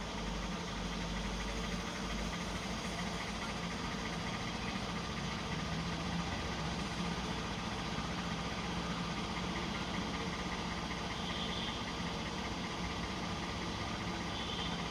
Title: V6 engine knocking sound(1)